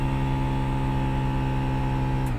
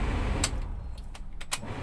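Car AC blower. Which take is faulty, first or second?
first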